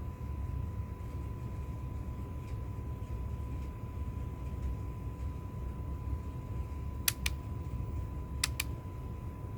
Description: Update: apparently this is happening due to a loose screw, so make sure if you take an iPhone 7 apart to make sure all the screws go back in the right place and are tightened properly.